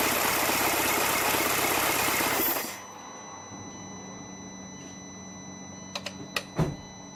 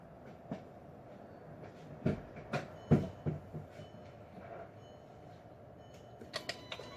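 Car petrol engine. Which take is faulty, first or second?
second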